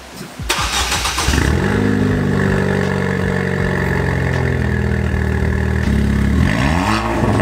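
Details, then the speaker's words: Ford Fiesta ST with temporary swappable straight-pipe race exhaust (muffler deleted, not fully welded yet): engine catches and settles into loud, deep, even idle with brief blip, exhaust not rattling much; straight pipe idle without rattle. "So it didn't seem to rattle too bad. Like I said, I'll probably go ahead and finish welding up everything and probably lop it off."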